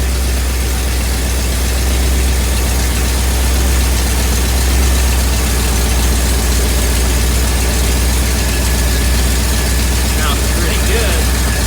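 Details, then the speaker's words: 1958 Ford F100, after carburetor work and about 5° more ignition timing, warm with cooling fans on: steady, even idle at about four beats a second, no misses or knocks; smooth normal idle. "good all right I threw about 5° of timing at it parts are are nice and smooth the fans have come on"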